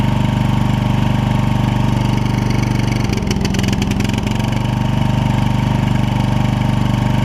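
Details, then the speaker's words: Toro Wheel Horse 1232XL hauler tractor, 12.5hp Briggs single, just after fitting a Hipa carb kit: steady low chug with a brief rough stumble while it smokes off raw fuel loaded in the muffler; should clear after running a few minutes. "just got to let it run for a few minutes and everything should clear up on"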